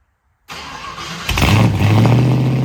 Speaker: it's running again. So, last thing I explained to you guys was that the car needed a sending unit put in.